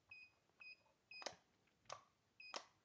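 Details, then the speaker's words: JSDA JD8500B electric manicure/pedicure drill, pedal (foot) mode: motor starts when the pedal is pressed but three short high beeps and sharp clicks sound as the fault indicator; in hand mode nothing spins. "as you can see when I depress it it is starting motor but we've got that fault indicator"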